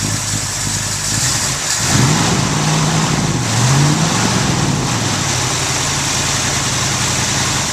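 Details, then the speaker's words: Car after fixing a no-start traced to the wrong starter, not the flywheel: engine catches promptly, revs briefly and settles into smooth even idle; starts cleanly and runs healthy after repair. "and so now what I'm going to do now uh I'm going to start up so he so my cousin can hear it start up and run"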